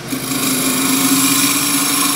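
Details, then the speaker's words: While parting-tool cutting in on the headstock side of a marked depth line on a turned wooden scoop, the steady high cutting tone changes note and turns into a rough, nasty chattering vibration as the cut nears breakthrough. "And as we come down, you hear the note change. A nasty vibration. It's just beginning to drop."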